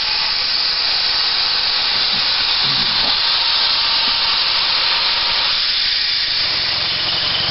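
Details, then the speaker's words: On-farm natural gas compressor with a pressure regulator (5–150 psi line pressure) and a surge tank, starting up with an even hiss of gas escaping. This is expected venting on startup. "well let's see we're going to give it a try here you'll hear a little gas escaping"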